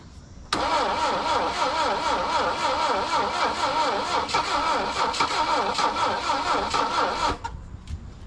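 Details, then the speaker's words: Saab Sonett III, first start attempt after sitting since 2012: starter churns slow, labouring and wavering about seven seconds without firing; battery dead; weak ignition suspected. "why won't you f fire yeah that my battery's dead"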